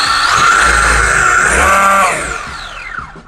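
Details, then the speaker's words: WLtoys 124008 RC car after replacing spur gear and drive shaft: motor spins up to a clean rising tone and coasts down with no grinding or whine, way better than before. "Okay, let's listen. Way better. Way better. Yeah."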